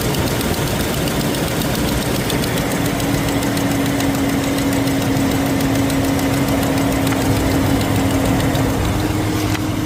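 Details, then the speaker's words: Car idling, customer reports loud exhaust leak from front on cold start that fades when hot: faint uneven ticking from one side; exhaust manifold gasket leak or cracked manifold suspected. "Still hearing this side right here. Look like exhaust manifold gasket or it's cracked. We don't know. So, definitely there's a problem with it."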